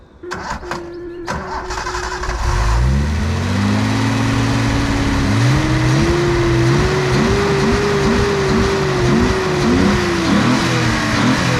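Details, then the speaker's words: Nissan 280Z on first start after a screw adjustment of about two centimeters, before injector, wiring and ignition coil fixes: cranks, catches and settles into a lumpy uneven run with stumbles; owner thinks a slight misfire, not sure. "so it sounds a little rough a little misfire i think not sure i'll cut to the clip here in a second of it running um but it definitely needs some love"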